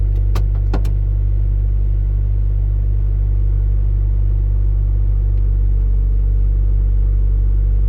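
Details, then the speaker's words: Mazda Miata with ITBs on a crude map, after a pull while driving: the engine holds an even, raised hum and is slow to settle, hanging around 2000 rpm. Throttle cable free play was set too low; adding play fixed it. "it still hesitates a little bit like a low low range here it takes forever to settle down"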